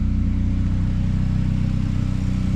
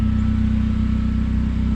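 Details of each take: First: Freshly rebuilt Honda Prelude; deep, loud, pulsing exhaust rumble, heavier than stock; owner suspects a leak at a flex pipe used in place of the cap, plans to weld on a resonator; loud exhaust. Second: Freshly rebuilt Honda Prelude at idle with an exhaust leak at a flex pipe; smooth, even idle with strong low exhaust drone and no ticking or tapping; normal idle.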